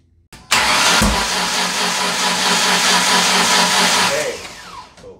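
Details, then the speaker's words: 2006 Ford Ranger 4.0 OHC, timing chain jumped teeth, fuel pressure good: starter spins briskly with uneven, lopsided cranking rhythm, a little backfire, no start; no compression on cylinder five from a bent valve. "there really is no compression on number five and a little backfire oh it did something"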